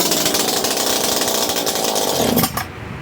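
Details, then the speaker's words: Makita DPC7321 gasoline concrete saw, started on half choke: loud, raspy two-stroke buzz holding a steady high speed before dropping away. Runs cleanly with no misfire and sounds good, though it is sold for parts as a broken machine. "All right, guys, it sounds good. It looks good."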